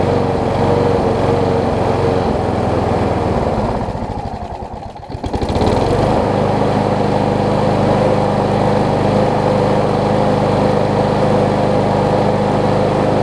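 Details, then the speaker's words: Gardenway-made Troy Bilt self-propelled push mower fitted with a nearly new universal blade: strong, steady drone that dips briefly as throttle eases then recovers cleanly and runs evenly; running much better; normal running. "so so you can hear it's running a lot better now and that's mostly because i have the a much better almost new blade on it"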